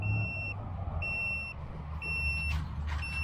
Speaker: It's got its own LVC warning beeper as well. That is pretty cool.